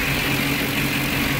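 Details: 2009 Ford E-350 with 5.4 engine, no trouble codes, owner reports idle rpm too high and occasional stalling while driving: steady, fairly fast idle with no hunting; high idle, throttle body suspected.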